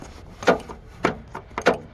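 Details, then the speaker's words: Trunk latch actuator clicking after damaged wiring was repaired and rewired: three or four sharp clicks about half a second apart, nothing else running; the actuator now works normally. "You can hear it clicking. That's it."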